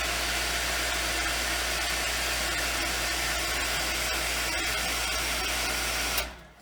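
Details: Water pump at a family lodge, just reinstalled and primed after its frozen impellers were freed, runs with an even motor hum and rushing hiss, then shuts off cleanly: pump running normally and moving water.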